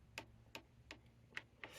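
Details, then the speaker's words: TriFox X18 carbon frame road bike, bars turned with nothing else running: five dry creaks about every third of a second from the headset's bottom spacer rubbing the frame paint. The fix was sanding 0.5 mm off the spacer. "That's where this bottom spacer was rubbing against the paint on the frame, and it was a little annoying because it basically meant the steering didn't turn freely. Hear that creaking?"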